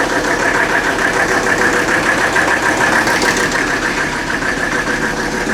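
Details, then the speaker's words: 1984 Mercedes-Benz 300D turbo diesel, previously seized, first run after bleeding injector lines: loud, uneven clatter about three beats a second, coarse lumpy idle with heavy shaking; does not shut off with key; rough running, cause unknown. "She's loud though. I don't know if the camera picks up how much this thing's shaking right now."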